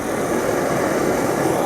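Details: MSR XGK EX white-gas expedition stove turned up to full flame after preheating the fuel: steady, even hissing roar with no sputter, pulsing or flare-ups; burner running clean at full output.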